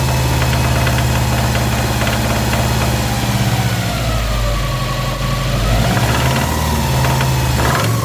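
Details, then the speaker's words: Subaru WRX STI EJ25 2.5L, timing cover off, held at about 2000 rpm: uneven knock under the engine drone, traced to the block rather than the hydraulic timing tensioner that forums blamed. "let's go rub the engine let's see if we can hear the the knock all right"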